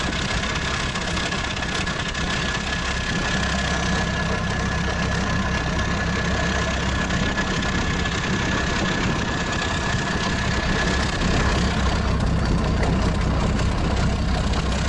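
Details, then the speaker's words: Freshly rebuilt, turbocharged old engine after painting and assembly, idling with a steady even diesel clatter, no shaking, misses or hunting; oil pressure good, almost eight atmospheres at maximum (relief valve 7.5–8); slight oil drip from the impeller. "It runs smoothly, idles evenly, and doesn't shake. The pressure is good, almost eight atmospheres at maximum."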